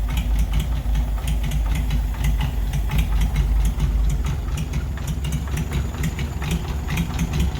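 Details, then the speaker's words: 1940s Oliver 70 tractor, first start in about 12 years after sitting: sharp knock about two to three times a second over low idle; owner suspects the valves, which he adjusted himself, are set poorly. "lives honestly that knocking sound it sounds like it's coming from up top maybe when I adjusted these valves I probably should have adjusted them"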